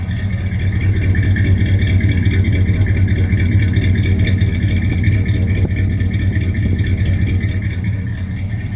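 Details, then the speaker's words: 1978 GMC truck, sitting a long time and started for the first time in a while, damp weather; the belt usually squeaks until warm but the squeak is now gone, deep even rumble with no squeal on top: runs normally. "Always has a squeaky belt till it gets warmed up. I think the squeak's gone away now."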